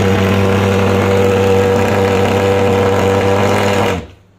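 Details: Superhawk (American) pulse-jet fogging machine after starting (lever up, fuel pressed, starter pumped); loud steady buzzing roar at constant pitch, unbroken about four seconds until shutdown; normal running.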